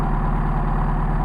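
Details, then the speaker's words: Mercedes 190SL with rebuilt Solex 44PHH carbs, worn throats and badly bushed throttle shafts, at water temperature: steady fast idle about 1250-1300 RPM, otherwise smooth; excess air from wear; high idle from worn carburetors. "and we got an idle of about 13, 14, about 1250, 1300 RPM."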